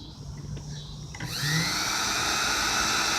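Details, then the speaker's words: Antique sewing machine electric motor, freed up with WD-40 after being frozen, belt cracked; spins up to a steady smooth high whir with no knocking or grinding: normal motor run. "I can't believe the motor still runs just good"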